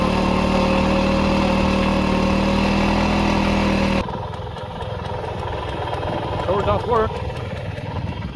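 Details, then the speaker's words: 1940s Simar two-wheel tractor rotary tiller after revival: a steady, even single-cylinder beat that settles quieter under load. It starts easily and runs smoothly with good power, though the owner hears a possible main bearing issue. Normal running. "Everything seems to work just fine. Starts very easy, engine runs very smooth, lots of power, I think. Runs good."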